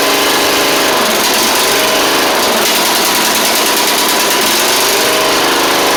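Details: Troy-Bilt Pony mower after swapping its Powermore engine for a Briggs & Stratton flathead (new Briggs carburetor, 12.5hp air filter), run before pulleys refitted: steady, fast, buzzy single-cylinder drone holding speed without surging or stumbling; normal running.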